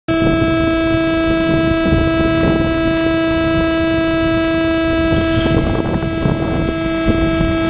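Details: GoPro audio while plugged into a DJI Phantom 2 Zenmuse HD-3D gimbal: loud steady electrical whine with higher overtones throughout the recording; interference from the gimbal connection, cause unknown.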